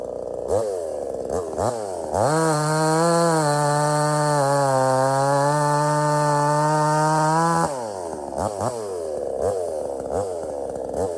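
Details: Budget Temu chainsaw shortening a log, possibly rotted in the middle: high revving whine drops into a steady pull through the log, then climbs back freely; cuts easily, starts easy and runs strong, normal.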